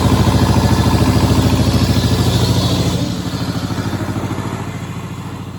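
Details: Power Pony fitted with a two-cylinder Perkins diesel, running after the fuel system was bled (suspected run dry with petcock closed): steady chuff around 200 beats a minute, even and regular, easing slightly at the end; normal running.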